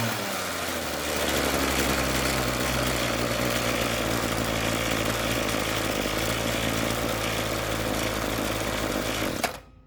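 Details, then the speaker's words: Ryobi RY251PH two-stroke trimmer power head that stalled when throttle released, after replacing the carburetor and two fuel hoses: high, buzzy note holding steady about nine seconds without stumbling or cutting out; running healthy, repair successful. "it's running yay it's not shutting off thumb up"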